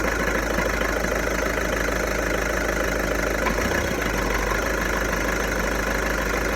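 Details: VW Golf 1.6 TDI diesel, 90,000 km, idling with a fast uneven rattle, roughly three beats a second, over the engine drone; owner suspects the dual-mass flywheel, not confirmed.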